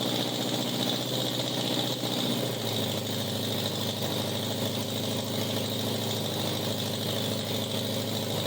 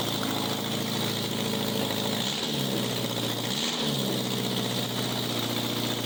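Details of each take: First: 1987 Honda Gold Wing GL1200 with electrical issues: intermittent cranking, exhaust backfire at key-off. Loud, raspy open-pipe idle with an uneven, stumbling beat and an early pitch shift; rough running, cause unconfirmed. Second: 1987 Honda Gold Wing GL1200 parts bike, electrical problems, almost out of gas, running after battery charged: loud raspy open-header idle with quick throttle blips, settling back evenly; normal idle, needs strong battery.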